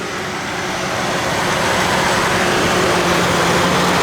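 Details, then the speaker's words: 2006 Chevrolet Trailblazer with genuine GM clutch fan, engine running: steady engine and fan whoosh with no clicking, unlike aftermarket fans that click until GM dealer reprogramming. "you get to click click click to go away but this one doesn't do it so good"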